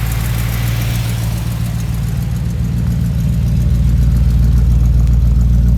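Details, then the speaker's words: 1969 Chrysler Newport big-block V8 with glass-pack exhaust (pipes one year old), just started: deep, even burble at idle, no misses or ticks; idles nice and smooth. "Okay, now we'll start it up. You can see what it sounds like. See, it idles nice and smooth."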